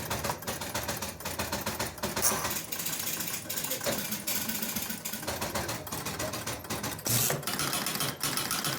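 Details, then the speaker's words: Jumping Jack pinball machine, powered on with points on both players and bank relays tripped, credit pressed: irregular relay clicks about once a second cycle 1-2-3-4-5 without settling after player resets; control bank reset loop, game never starts, cause unconfirmed. "button okay so what I saw that reset that reset the the bank reset and then this started going 1 2 3 4 5 Bank 1 2 3 4 5 bank so we're past player one reset player two reset and I think they're calling this the control Bank reset"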